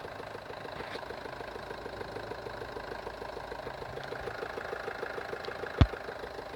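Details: Even idle with a quick, regular knock repeating several times a second under a low hum. Internal engine knock at idle, source unknown.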